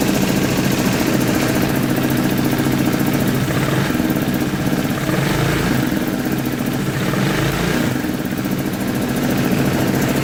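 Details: Scooter after starter motor refit and reseating a popped-out green harness wire: engine catches and settles into a steady, slightly uneven putter at idle, no knocks or grinding; normal idle.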